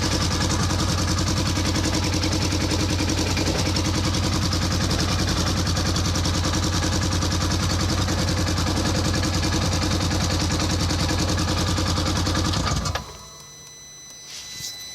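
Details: 2014 Polaris Ranger 900 XP throwing code 636 (crank position sensor), wiring harness taken apart: steady, even idle for about twelve seconds then cuts dead instantly via the harness; stalling from faulty crank position sensor wiring.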